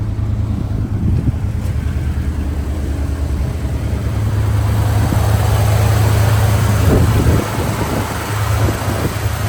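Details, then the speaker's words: 1978 Ford F-150 4x4 with a 4-speed manual and a V8 believed to be a 351W (originally a 6-cylinder truck): even low V8 rumble at steady idle, rising slightly midway, some wind noise; runs smoothly, a good daily driver. "Runs like a watch. Just a good daily driver."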